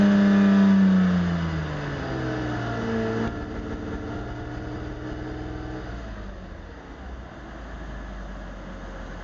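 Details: Mercedes R129 300 petrol engine settles from a rev into an uneven, stumbling rough idle that misses now and then; it misfired once, then twice, and now runs rough.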